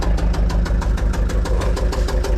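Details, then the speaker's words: Gehl 6635 SXT II diesel skid steer from auction, started cold with the throttle being feathered: heavy, uneven, lumpy idle thumping. It runs rough until warmed up; cause not yet found. "so yeah we'll start this thing up and you'll be able to hear it it sounds pretty rough"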